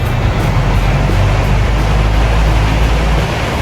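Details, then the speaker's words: Sharp 18-inch fan that spun and started slowly, after replacing the capacitor: at speed 3 a strong, even whoosh of air with no ticking, rubbing or hum; fan now runs normally. "แบบนี้ก็ปกติแล้วนะครับ"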